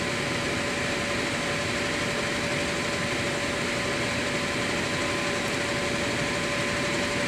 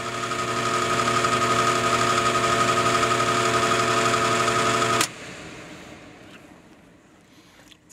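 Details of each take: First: Air handler after fitting a new blower motor: a steady whoosh of air with a constant faint motor hum, no rubbing or rattling; correct rotation, heat strips on, running properly. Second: Goodman HVAC indoor blower, capacitor connection remade, compressor disconnected: steady hum with a strong fixed tone and rough buzzy edge. The blower motor is failing and is replaced.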